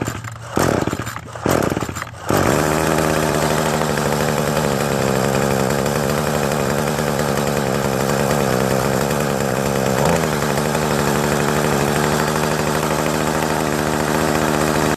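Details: Craftsman trimmer after new fuel lines and carburetor work: catches after a couple of pulls, holds steady even buzz, no stumbling or surging; running normally.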